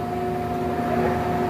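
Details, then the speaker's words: 2010 Ryazan 28.5" x 120" engine lathe spindle running in low gear: steady, even hum with clean fixed tone, no knocks or grinding; spindle bearings good and quiet. "They can hear the spindle bearings. It's got everything's good. It's good and quiet."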